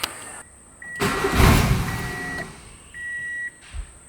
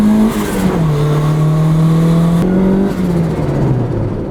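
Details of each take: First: Turbo Honda Civic being tuned, testing whether idle problem is fixed: engine cranks, catches, roars about a second then dies, dash chimes follow; stalls immediately from idle air starvation with throttle shut. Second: Turbo Honda Civic, first drive in six months, with new spark plugs and a fresh service, running a little rich across the board on a hot day: engine pulls and settles smoothly through the revs with a steady, even note. Normal running.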